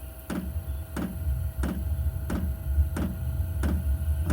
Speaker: There we go. It's pumping and kicking in. That's the pump. You can hear clicking. Pumping the fuel.